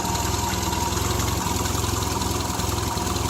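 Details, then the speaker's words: 1975 Triumph Spitfire four-cylinder after smog/EGR delete, air box refitted, carburetor unrebuilt: uneven lumpy idle around 200 pulses a minute with occasional stumbles, rougher with air box on; owner suspects idle or air-fuel. Rough idle. "as you can see it did change it putting the airbox on running a little rougher so we'll be tinkering with trying to get everything squared away and running right"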